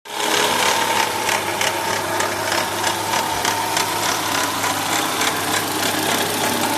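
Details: Renault K7M engine at idle: light, fast, uneven ticking clatter of about three per second over the hiss; abnormal extraneous engine noise, source unclear.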